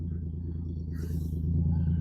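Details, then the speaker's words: Dodge Dart, choke bucket just reinstalled, choke thermostat still to order, at steady idle: deep, loud, unmuffled rumble without knocks; runs well but the exhaust is broken somewhere underneath, muffler apparently off. "It runs good. Sounds like the muffler's off of it. Yeah, it's broke somewhere under there."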